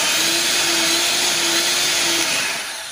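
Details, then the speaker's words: Bolde Super Mix Turbo mixer after motor and gearbox repair, on 220 V at the turbo setting: steady high-pitched motor whir that winds down at the end. Runs normally. "Oke, turbonya normal. Tinggal dirakit semua."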